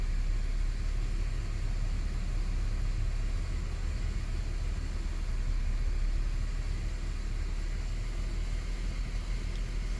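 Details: 2008 Ford FG Falcon straight-six, started after an oil and filter change with the filter pre-filled; the oil light did not come on. Steady low rumble and an even, unbroken idle with no knocks or ticks. Normal idle.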